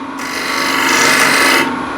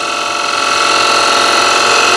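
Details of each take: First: Wood lathe, dull scraper on chestnut end grain: dry, continuous rasping rub with vibration and no crisp cutting; light touch removes nothing, heavy pressure gives only dust and risks a catch. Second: Wood lathe, freshly resharpened gouge riding the bevel: steady, even hiss with smooth tone, no chatter or catches; lovely shavings without force, clean pristine surface.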